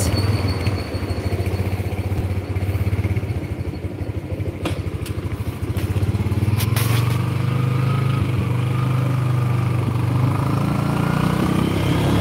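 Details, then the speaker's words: Motorcycle, engine already removed and refitted twice, clunk absent when stationary on the stand, heard only while riding at any speed on closing throttle and pulling the clutch: low burble with sharp metallic clunks when coasting; gearbox clunk, source unclear. "Tapi nek Lagi jalan Pak mau pelan kek mau ngebut kek terus lepas gas dikopling gitu loh pak"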